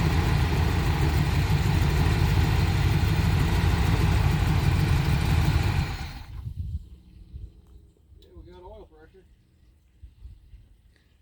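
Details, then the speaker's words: 1985 Winnebago with 454 big-block V8 and Turbo 400, 32,700 miles, stored nearly 17 years, started with jumper cables to starter: deep steady rumble for about six seconds then dies; oil pressure good; needs continuous fuel feed, suspected starvation. "oil pressure that's good that sounds like all you got to do is keep feel going in it"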